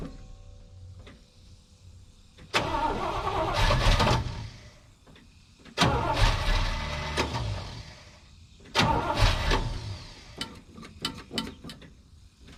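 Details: 1970 Chevrolet K10 with a 396 big block from a 1971 Chevelle, revived after sitting, bad gas still in the line, trying to fill the float bowl: three bursts of even starter cranking, a couple of seconds each, never firing; cranks without starting.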